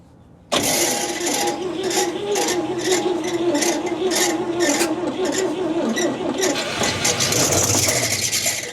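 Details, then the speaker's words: Possibly a 1957 GMC 2-ton tanker truck abandoned 40+ years: starter spins engine steadily for several seconds with no firing pulse; cranks but won't start, no spark seen. "I was going to say It's weird. I don't see a spark."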